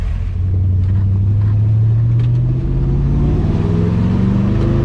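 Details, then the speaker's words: 1966 Chevy C10 driving with a newly built first-time exhaust system and new mufflers; a deep, even rumble that climbs smoothly with speed, no rasp, drone or leak puffs, much quieter than before. Healthy exhaust. "you think it sounds pretty good pretty good it's a lot quieter it's not as loud as it used to be oh man that's much better"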